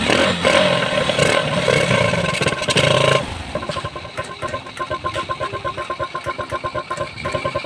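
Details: Suzuki GD110 motorcycle with a hard-start problem and carburetor conversion: a few hard revs, then drops to a steady putting idle of about four beats a second and keeps running cleanly.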